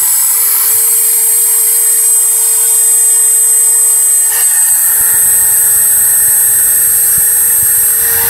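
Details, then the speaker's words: Dremel 3000, five days old, at maximum speed: a steady, piercing high whistle over the motor whir that was absent in the first two days. The shaft also rotated jerkily with runout; a bearing is the likely cause. "тоже уже был слышен такой пронзительный свист которого изначально не было изначально это в первые два дня после покупки вот максимальный оборот"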